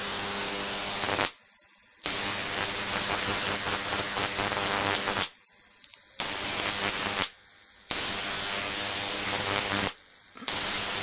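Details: Large flyback transformer on a ZVS/MOSFET driver fed 30 V from a toroid transformer: loud hissing arc buzz in few-second bursts with silent gaps, crackle over a high whine; running properly.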